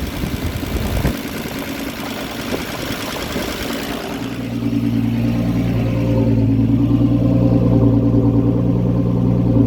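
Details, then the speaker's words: Land Rover Series 3 109, 2.6 six-cylinder, carburettor tune-up after advancing the distributor timing: after handling noise, engine settles into a steady, raised, even idle. Rich fast idle with the choke left on; owner plans to lean the mixture. "so i need to lean this mixture now i think i know what my problem was"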